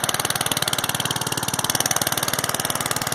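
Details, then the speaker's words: 3,500 generator engine on charcoal gas from homemade Simple Fire-design gasifier with air-fuel ratio adjuster and replaced carburetor intake, first run after 3 pulls: small single-cylinder running fast and even, crisp firing pulses, bright clatter, no misfire. "So pretty amazing. After about 3 pulls, it started. That's just amazing."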